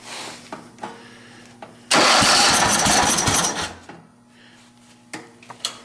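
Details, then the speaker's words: John Deere 111 hydro lawn tractor, fed from an external tank: cranks, fires and roars briefly then sputters with backfire; no-start traced to a failed fuel pump. "I backtracked my fuel delivery problem to a fuel pump that doesn't want to work."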